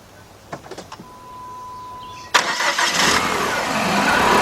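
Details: Chrysler 2.4 engine after timing belt, water pump and radiator replacement with fresh oil: fires at once and settles into a steady, even idle with no knocks or misses; normal start and idle.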